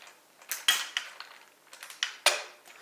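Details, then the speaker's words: Yamaha YZ450F supermoto build, part turned by hand during teardown: sharp uneven dry clicks a few per second, no smooth roll, visibly loose; bearings inside worn out, cannot reuse, new bearings needed. "Yeah, it's like clicking and you can see it moves like really bad. I didn't feel it when everything was on, maybe because of the weight. But the bearings inside is total shit, so I need to buy new of those."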